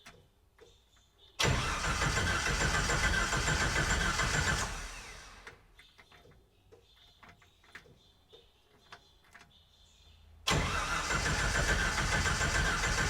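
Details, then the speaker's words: Willys Wagon on a Jeep YJ drivetrain after fuel pump replacement: a faint pump hum in the quiet gap, then the engine cranks and fires cleanly twice; fuel delivery sounds normal. "why do I not hear the fuel pump running oh I hear it now I can hear it"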